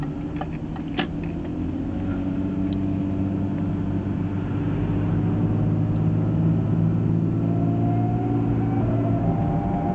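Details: BMW E36 automatic, driving when cold: a thin whine rises and falls over low drivetrain rumble. Persisted after ATF refill and was first blamed on the gearbox, but was actually the driveshaft center bearing, a SWAG part under 6 months old.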